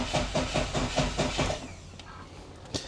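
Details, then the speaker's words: 1988 Saab 900 Turbo, months without starting, spark present but weakening, fuel pump relay jumpered and plenty of fuel: starter cranks about two and a half beats per second then stops without catching; cranks, no start. "We have all kinds of gas. All kinds of gas. But no start."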